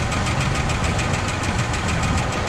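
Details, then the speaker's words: 1972 Cadillac Sedan DeVille V8, free car, idling: fast, even light ticking/clatter over a smooth idle with no misfire; suspected stuck lifter or valve, not confirmed. Accelerator pump also faulty, stumbling on throttle. "Chris is saying it sounds like it has a stuck lifter or a valve. The engine, other than making a little bit of a clatter, is running as smooth as possible."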